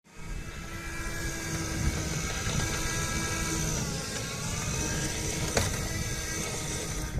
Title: Meyra Ichair basic weird noise from motor (v2)